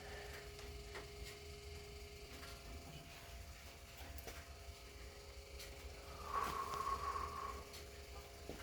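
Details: BMW E70 X5M after shutoff: very faint steady whirr with light irregular ticking from the rear; owner suspects the air suspension pump malfunctioning, unconfirmed.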